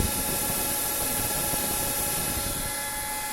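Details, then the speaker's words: Completed pro-grade CNC control enclosure with an extraction fan moving 120 CFM, lid off: steady airy rush with a few constant fan tones and no wobble, rubbing or rattle; normal fan operation. "Okay, and our fan, definitely, you can feel that air just coming through and all the way around."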